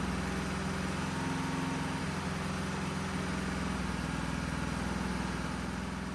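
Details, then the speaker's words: Citroën GSA, after final engine adjustments, started to build hydraulic pressure before its first drive: low, uneven idle with an irregular, lumpy beat; somewhat better than before but still not right, cause unconfirmed. "C'est pas parfait encore le moteur, même si c'est un peu mieux, c'est pas idéal."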